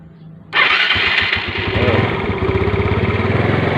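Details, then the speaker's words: Motorcycle single-cylinder engine started on a dead spark plug revived as an emergency trick: fires on the first try and settles into a steady quick putter with no misses; normal start and idle. "Dengeran, Mas Bro. Mesinnya udah hidup."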